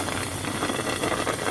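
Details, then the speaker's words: International VT365 6.0 diesel, low-pressure oil pump gears and front cover previously replaced; oil pressure fluctuated 80–110. IPR valve removed, dummy block with shop air: hiss heard through turbo oil feed line, high-pressure oil pump bypassing internally into low-pressure side. "I'm getting that the oily from or the leak is coming from if you hear it coming through the the turbo feed line so that means that the pump is bypassing and bypassing back into the low pressure side of the oil system"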